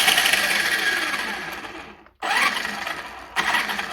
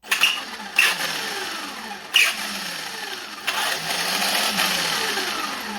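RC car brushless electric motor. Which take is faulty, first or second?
second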